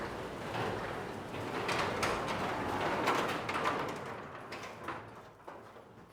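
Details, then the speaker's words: Garage door after lubricating old rollers, correcting a wrongly installed opener motor and fixing eye sensors: steady rolling rumble with light roller clatter, easing off smoothly; door operates fine, remaining noise from unupgraded rollers and track. "When you do that, it will take away a majority of the rest of that noise, but still the door operates and it's in good condition."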